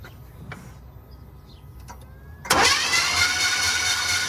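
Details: Impala project car, battery terminal found loose and sparking, distributor/timing in question: a few clicks, then the starter spins with a steady rushing churn but the engine never catches; cranks, no start, cause suspected, not confirmed.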